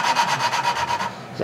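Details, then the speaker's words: Tecumseh engine valve job: valve hand-lapped with compound using a suction-cup tool, gritty rasping strokes about eight a second, then stopping; grinding lessens over time and starts over when the valve is lifted and put back. "so maybe you can hear the tone change and it after I pick it up it gets it sounds like it's grinding less pick it up put it back down it starts over"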